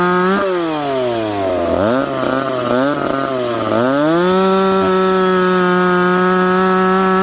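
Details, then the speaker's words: McCulloch Pro Mac 850 chainsaw cutting oak after chain sharpened and rakers set, on a well-worn bar: crisp throttle blips, then clean steady high scream under load holding pitch without bogging; sharp chain cutting well, normal. "again we can't let this all get too hot this is interesting stuff isn't it guys chain definitely cuts better now"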